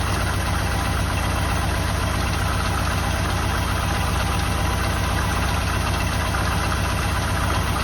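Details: 1984 Jeep Wagoneer, just revived: low, lumpy idle with a wavering throb about four times a second, missing rhythm; rough idle, cause unknown; owner thinks a worn belt on loose alternator belt and rough pulleys may be heard.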